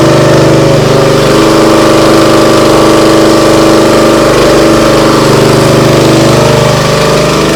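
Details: Briggs & Stratton CR950 208cc engine on a Diamond 25-ton log splitter, after carburetor cleaning for a no-start following a couple of years unused: smooth, even, steady beat at mid throttle, no surging or hunting; runs properly.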